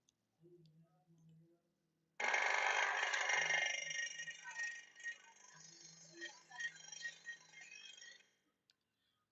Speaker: Compressor start होने के time पे ये इस तरह की आवाज कर रहा है। तो इस प्रकार की आवाज आना अनयूजुअल साउंड या फिर नॉइज का हिस्सा होता है।